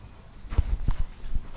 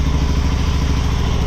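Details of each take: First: Honda Shadow motorcycle (possibly 650) that sat almost a decade, cold start attempts on choke after float valve adjustment: two long laboured, uneven cranking bursts that never catch and fade between tries; slow cranking, battery running down. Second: Honda Shadow motorcycle (possibly 650) that sat almost a decade, after battery charge: even, steady low thumping idle running under its own power while still pretty cold on choke; normal cold idle.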